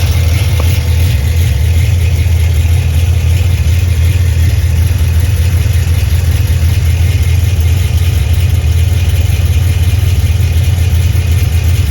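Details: Cammed Pontiac G8 GT V8 with Stainless Works headers, GESI high-flow cats, OEM mid exhaust: loping idle, deep uneven rumble with raspy puffing from an exhaust leak just before the mid muffler.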